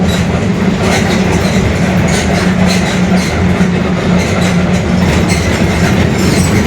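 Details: Mercedes-Benz OF-1721 Bluetec 5 city bus, 2021 build, Mascarello GranVia Midi body, long version, onboard while driving: a constant low droning hum under road and rolling noise, a growling worn rear differential.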